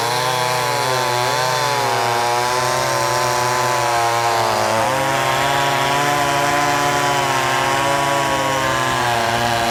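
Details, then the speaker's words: Brand-new Wemars 6220 chainsaw, fresh and not broken in, shakedown cuts: steady high two-stroke scream bogging only slightly into the cut and holding revs; strong, healthy saw under load. "I mean, it runs good. Geez, this is shocking."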